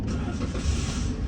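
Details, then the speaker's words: 2015 Toyota with no-crank no-start and P0705 code, after fixing the park/neutral (selector) switch: short crank then catches and settles into steady low idle with no hesitation, code cleared; normal crank and start. "अल्हम्दुलिल्लाह गाड़ी भी जो है start हो गई है सिर्फ lateral सच का मसला था और उसके अलावा जो है कोई भी मसला नहीं है"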